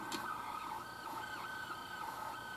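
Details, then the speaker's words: 1959/1960 Akai valve reel-to-reel tape recorder at 3¾ ips, running with the clutch engaged: steady mechanical whir, even high hum and light clutch clicking, the classic Akai transport sound; normal transport, though rewind is noisy from dry rubber. "in the very classic famous Akai transport sound that many of you out there who have a car recorders with this transport probably recognize don't you just love that sound they all have that same sound"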